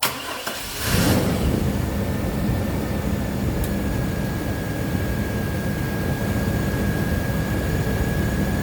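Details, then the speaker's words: 1998 GMC Jimmy 4.3 L V6, automatic, 4x4, after alternator replacement: engine catches and settles to a steady idle with a thin constant whir from the new alternator, which is warming up; charging at 14.6 V with a low battery, sounds healthy. "Now, I'm not sure if you can hear it, but there is a bit of a whirring sound, and that there is our alternator. It's also getting a bit warm, which means that it is working."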